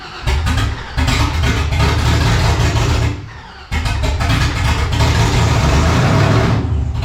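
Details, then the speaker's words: 1984 Cutlass G-body, procharged LS swap on Holley Terminator X EFI: catches and runs ragged, surging loud then sagging nearly to dying before picking up; rough start with backfire, owner suspects throttle body too closed, not enough air. "Oh, yeah, but we got to open up that throttle body, I think, because it's definitely not getting enough air."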